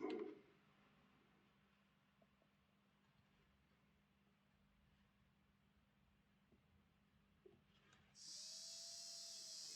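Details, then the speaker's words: Lima Class 31 model locomotive motor after overhaul, pinion oiled and brushes refitted: quiet hum then a steady, even high whir with no screech, running smoothly. "sounds much better no screeching"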